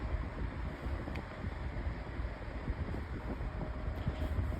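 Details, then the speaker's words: Lasko 18-inch table fan refitted with a lighter 16-inch Optimus blade, running on medium speed: steady, low, even airy hum with no ticking, scraping or wobble; runs smoothly and still moves a good breeze. "Still blowing a pretty good breeze. It's not too much."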